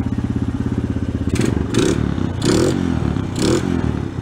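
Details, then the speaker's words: Honda ATV, after cracked engine case repair and carburetor cleaning, cold start with idle speed raised and choke on: even, quick single-cylinder putter with a few brief blips, running smoothly while warming up. "We turned the choke on. We'll let it warm up with the choke on for a little bit."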